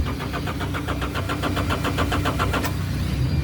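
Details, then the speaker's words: John Deere loader, crank-no-start: the starter churns steadily at about four strokes per second without firing; the fuel shut-off solenoid is not pulling in (its magnets can fail), so no fuel is delivered. "it's not doing nothing come around to the back of the engine here and you can see your shut off solenoid here"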